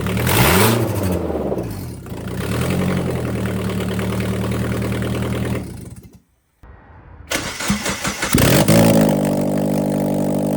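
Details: 2000 Mazda Miata NB with old headers removed and exhaust cut off (rusted flange bolts), before fitting new Goodwin headers: cranks, catches and revs with a raw, loud, raspy, unmuffled bark straight off the ports. Open header dump, no exhaust.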